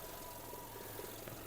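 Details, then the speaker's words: 2005 Audi A3 1.6 MPI (BSE) petrol engine, 209,000 km, from the Netherlands: quiet, steady idle hum with no knocks or misses; it runs evenly with no smoke, no misfire and no breather blow-by. "чистенькийтор працює тихо рівно не димить не троїть не сапунить"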